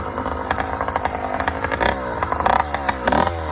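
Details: Yamaha YD100 two-stroke with Honda Dio reed valve and 24mm OKO carburetor on a homemade intake: idles with an uneven, burbling, loping beat and skipped firings; still running rich despite tuning.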